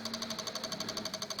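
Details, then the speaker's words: Microsol NG2 voltage stabilizer (110-220 V input, 110 V output) powering a soldering iron: fast, steady relay clicking, about eleven a second, as the output voltage oscillates; cause a faulty relay and a bulging capacitor. "Ó, mais uma vez, perceberam aí que ele tá direto batendo os relés,"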